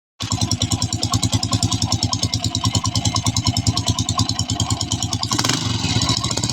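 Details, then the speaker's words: Honda TMX 155 single-cylinder motorcycle clanks loudly at idle with a hammering clatter; cause traced to a broken clutch damper and loose rotor bolt. "Ganyan ba ang issue ng inyong motor? Napakaingay nung makina."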